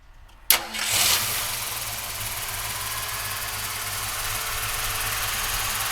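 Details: Restored 1965 Ford Mustang convertible with a brand-new crate V8 and a 5-speed. A quick crank, then it catches at once and settles into an even, steady idle with no knocks or misses.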